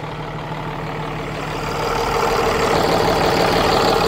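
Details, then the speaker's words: 2009 Bluebird school bus with a Cummins ISB diesel, complaint crank-no-start: running on the known-good ECM, a steady, even diesel idle with a regular low beat and no knocks or misses, confirming this ECM is good. "so right there as you can hear the engine is running so this engine runs okay the engine runs this ECM is good"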